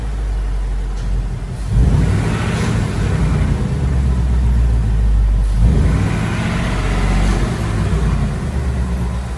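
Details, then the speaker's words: 2018 Ford Mustang GT V8, after 15W-50 oil plus Ceratec additive: deep even rumble that swells with throttle and settles back, no ticking; the engine tick is gone. "it's completely gone i don't hear it at all the typewriter does nothing"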